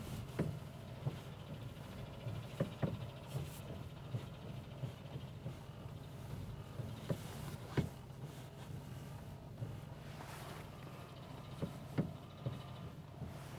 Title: стук в рулевой рейке 1